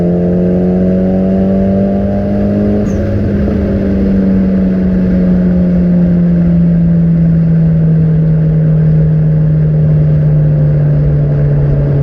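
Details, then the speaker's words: Nissan 200SX S14 under way after fitting AliExpress injectors, which cured jerks: steady, smooth drone under load with no stumble or misfire as it eases off; running normally. "as you have seen the car is going much better now that it does go up in revs constantly"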